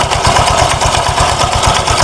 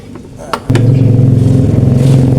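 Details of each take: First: Honda Vario 125 scooter, rough only at idle and smooth when revved. A quick, even tak-tak knock, about 6–7 per second, sounds louder with the CVT cover off, located at the front pulley roller housing; a loose flywheel was suspected but shows no contact marks. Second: Honda Vario 125 scooter after CVT work, with the CVT cover refitted; the earlier tok-tok knock at idle is gone. It idles smooth and even for about four seconds with no tapping, then shuts off: normal idle.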